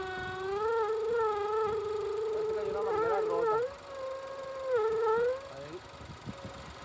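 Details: Range Rover with check-engine light, engine running: loud wavering mid-pitch howl rising and dipping with the engine, loudest mid intake manifold, not belt or vacuum pump; vacuum leak from a broken, collapsed PCV valve hose under the manifold.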